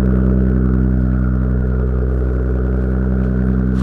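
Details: Car recorded from the rear at the exhaust: deep, even exhaust drone at steady speed with smooth pulses and no ticking or popping; engine and exhaust sound healthy.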